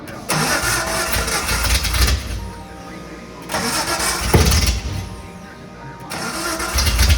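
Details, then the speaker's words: Datsun 280z (S30 build) first start in over 30 years, running but not yet driving: three short bursts of the engine catching and revving, settling between them; it starts and runs normally. "the datsun is running it is going it is going but it is not driving yet"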